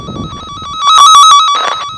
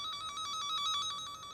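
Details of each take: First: Cen-Tech wire tracker on a buried underground dog fence boundary loop: warbling tone swells loud over the live wire, then fades as the probe moves past the break in the wire. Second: Cen-Tech wire tracker in tone mode, tracing a broken underground dog-fence loop: loud, rapid, even high-pitched beeping at about nine pulses a second while over the live wire; it quiets where the wire is broken.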